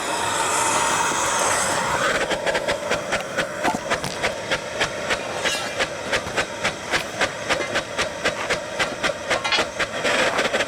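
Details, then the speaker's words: Soule steam engine, first run in years on low steam from a small boiler, running poorly: slow chuffing about four beats a second with a sharp knock each turn; loose lead in crank counterweight beating around, owner may secure it with a screw. "Well, I wish I'd done something about my lead in there now. I'm beating around. I could put a screw or something in it, I think."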